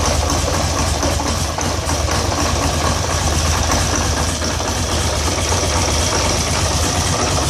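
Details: 2013 Polaris Sportsman 850 XP HO, code 520194 7 throttle stuck, TPS voltage wrong despite new TPS, throttle body and IAC swapped, T-MAP cleaned: lumpy stumbling uneven idle; rough idle, cause unknown.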